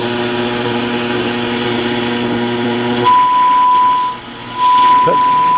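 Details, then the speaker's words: Pioneer SX-6000 receiver after replacing a bad AM-section transistor with one from a spare board: low hum gives way to a clean steady test tone from the signal generator; AM reception now working. "All right, with the new transistor in, now we have AM."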